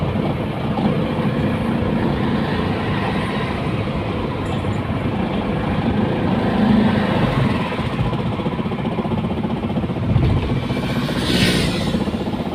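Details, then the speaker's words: Diesel car towed in after a noise while driving, then stalling and refusing to crank: loud, irregular heavy clatter over a rough run. The glow plug tip on cylinder 4 broke off, fell into the cylinder and wrecked the piston. "aracımızda e seyir halindeyken motordan bir ses geliyor bir müddet sonra araç stop ediyor stop ettikten sonra mas çevirmiyor"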